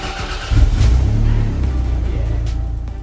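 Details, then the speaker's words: Donor Toyota MR2 SW20 engine, first start after collecting the car: brief crank, catches half a second in and settles into a steady, even run with no obvious knocks; clean start. "So, we got straight on the ferry on a lovely crossing and went and picked up our donor car and got it back and started the engine."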